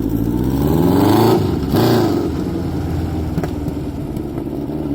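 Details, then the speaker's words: 1981 Honda CB900F, 16-valve inline four with open pipes: engine rises and falls with two throttle blips, then settles into even throaty idle with no knocks or misses; normal running. "Now I'm going to start the bike for you to hear it."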